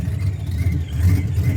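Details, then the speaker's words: Vortech-supercharged Ford Cobra V8 after repair following ingested metal, warm after about 20 minutes outside on a chilly day: deep, steady idle with a slight lumpy chop, no knocks or blower whine; healthy. "this Vortex sounds amazing it's got a little bit of a chop woo I mean seriously guys this is what 1990s and early 2000s dreams are made of"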